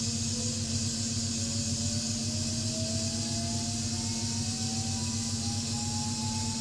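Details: Siemens electric motor in an electric-converted BMW 840 spinning up: clean turbine-like whine climbing steadily in pitch, no grinding or rattles; a healthy drive motor.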